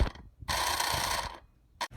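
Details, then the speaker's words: Toy hauler auxiliary fuel transfer pump after sanding its gears and reassembling: even buzzing whir under a second with no binding or catching; pump spins freely after repair. "now i didn't figure you guys needed to see me put it back together again but it is turning freely now"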